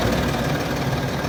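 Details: Land Rover Discovery 3 2.7 TDV6 diesel, hot engine: steady dull knock mixed into the rough idle clatter, only when warm; cause not yet found.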